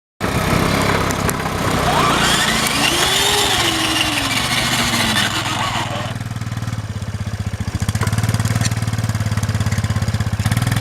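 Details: 1990 Yamaha Moto4 ATV, which died in the field, being towed in gear by another Moto4 (whose engine is heard idling); high drivetrain whine rising and falling with speed when the clutch is let out in 5th, happens in every gear.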